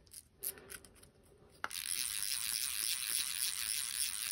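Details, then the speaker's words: KastKing Valiant Eagle 2 BFS baitcasting reel, star drag: a few scattered clicks, then a fast, even, high-pitched ratcheting buzz as line pulls off; drag is precise, clicker working normally. "yeah quite precise not particularly low"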